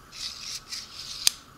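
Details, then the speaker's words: Six-inch Harbor Freight Pittsburgh digital caliper, cleaned, zeroed, opened to 100 mm and closed: dry scraping rasp in short strokes ending in a sharp click; slide drags with friction and resistance. "now it doesn't slide great there is a little bit of friction and resistance I don't know if you guys can hear it"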